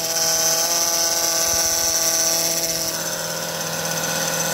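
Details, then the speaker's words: 2005 Honda Odyssey power steering whine under the hood, a constant high whine that rises and falls in pitch as the wheel turns left and right and worsens when steering. Fluid level is fine with no leak. Most likely a failing pump; pump replaced. "turn it left and right the power steering uh and you will hear this morning like this going up and down up and down"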